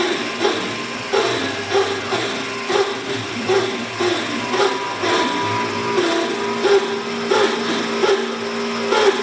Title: Denford triac weird spindle noise